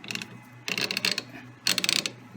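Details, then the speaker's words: Lewis shaper cross feed, gears turned by hand after boring out egg-shaped clutch housing to round: short bursts of fine even clicking both directions, no catching or grinding, changes direction effortlessly; smooth gear mesh. "right no effort at all changing directions okay and again I need to do with a little bit of finesse but I think that's a good fit"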